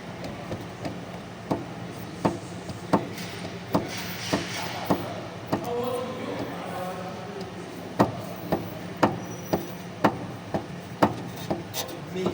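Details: Citroën C3 electric steering rack with play: sharp, hollow, loose metallic clunks about every second as the wheel is worked, sounding like the wheel might fall off.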